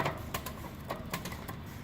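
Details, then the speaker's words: QuietKat e-bike rear derailleur after limit screw adjustment; light, even freewheel ticking with crisp shift clicks, no grinding or chatter; normal derailleur shifting. "make sure everything is in order which it appears to be"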